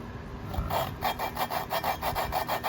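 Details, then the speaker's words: Engine valve being hand-lapped with Permatex grinding compound: rhythmic gritty rasping strokes about four a second, seat still rough; keeps lapping until grinding stops and sound smooths. "and i'm just gonna stick the valve in but you hear how gritty it is"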